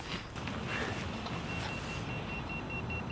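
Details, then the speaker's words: Boosted Board V2 with extended batteries, just over 1000 miles: faint thin high-pitched beep about three times a second whenever the board is touched, an alarm from a loose battery connection under the six-screw battery cover. "It's come loose on me before, that's how I know what it is. And I read online about what causes that beeping, and that was"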